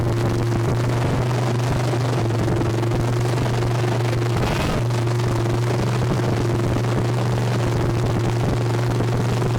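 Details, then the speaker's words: Junkyard 305 V8 on first start with no exhaust fitted: a loud, deep, raw open-exhaust drone with some clicky-clack rattle. Exhaust leak suspected, not confirmed. "it's loud I can't I think it just has an exhaust leak but it's got some sort of rattle to it"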